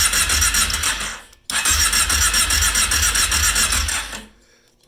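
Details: Kawasaki KFX ATV just reassembled with carburetors refitted, start attempt without choke: starter churns in two bursts at about four strokes a second, but the engine never catches. It cranks but won't start.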